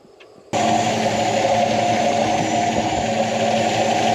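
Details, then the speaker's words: 1967 Plymouth Valiant Signet with 1976 225 cu in slant six and aftermarket 2-barrel carb idling steadily with a soft even beat and ever-so-slight stumble; owner suspects limited air-fuel mixture adjustment; PCV valve sometimes rattles. "So as you can see, it sounds pretty good. But it's got a little stumble. Just a ever so slightly stumble."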